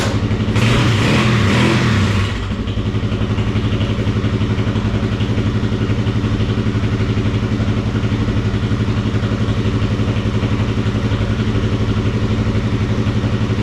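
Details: Kawasaki KFX400 single running after crankcase replacement and rebuild, carburetor still leaking fuel, water-pump coolant drain found loose: short rev burst, then steady, even idle with regular firing, no knock or clatter; healthy motor.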